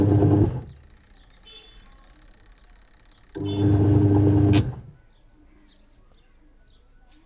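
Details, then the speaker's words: LG washing machine after gearbox replacement, reassembled and test run: short agitation bursts with steady motor hum and quiet pauses, no grinding or knocking. Normal wash sound, same as a new machine. "तो दोस्तों जो साउंड आ रही है वो normal sound है, ये आवाज़ नई मशीन में भी आती है।"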